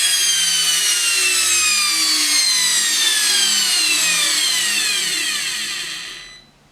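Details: Samsung washing machine brushed motor that stopped turning during washing: loud high whine sliding lower as it spins down to a stop; unusually noisy, brushes suspected worn out.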